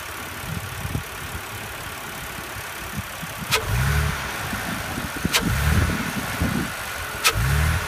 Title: BMW e86 Z4 engine noise from engine bay